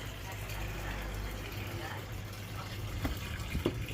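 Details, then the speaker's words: Toshiba AW-B1000GT washing machine (code E1, overfilling) after insects were cleared from the pressure switch tube: steady low rush of water filling the tub with light splashes and no buzzing or straining. Fill now works normally. "เทสใส่น้ำน้ำออกปกติเสียบสายแล้วก็สั่งโปรแกรมซักผ้าตอนนี้ทำงานได้ปกติแล้วนะ"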